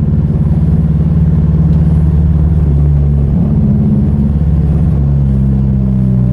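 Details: Rusty Mazda 3 after its engine blew on a clutch dump: deep, uneven throbbing idle with an irregular off-beat lope and wavering note, Subaru-like; badly rough running, seriously damaged engine.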